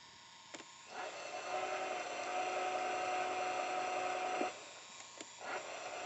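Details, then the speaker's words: RCA VLP950HF VCR with a replaced belt and a pinch roller still needing replacement. A steady, smooth mechanical whir comes from the tape in fast-forward search, which works fine. Reverse search does not sound right. "okay it's fine when i press hold forward search but when i reverse search i just know it's somehow yeah it doesn't it's not doesn't sound right"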